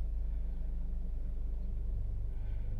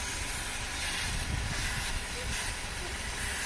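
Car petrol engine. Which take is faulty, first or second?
second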